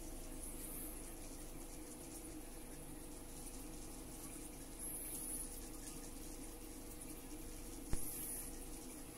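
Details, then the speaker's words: Cheap all-in-one 12V Chinese diesel heater for a boat, just fired up and running at about 12.3 V and five amps. It makes a steady, even low whoosh with no pulsing or popping, burning cleanly and running normally. "so on style nah forget it whooshing yes whooshing noise but he's done at twelve point three - about five amps"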